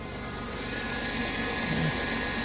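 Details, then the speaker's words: 2000 Chrysler Grand Voyager, parked 8+ years, 11,451 miles, first start after service: steady high-pitched power steering pump whine over idle, air in system with fluid low; no leaks seen. "Okay. Oh, I hear the pump immediately. Are we leaking anything?"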